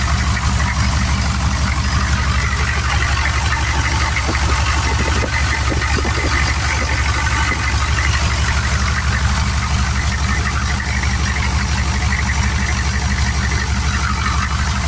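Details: Turbo 6.2 diesel truck at idle after adjusting inlet housing pressure and turning up the pump: quieter, cleaner, steady even clatter, no popping since timing is more correct. Mechanical oil pressure gauge fitted; 195° thermostat. Normal diesel idle.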